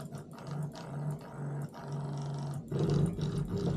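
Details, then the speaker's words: Known-good Simagic P-HPR Neo pedal haptic (I64, the control) on a replacement P2000 control box: low, even buzz in short bursts with a clean steady pitch, no rattle or grinding; working normally. "sounds good feels good and the clutch sounds good feels good this is I64 the working haptic and my control for today"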